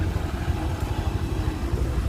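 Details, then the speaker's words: Honda Vario 125 LED scooter after an engine rebuild, previously smoking and rough after running out of oil: smooth, even single-cylinder pulse with no knocks and no more smoke; normal running. "Ternyata enak banget dan halus banget suaranya bosku."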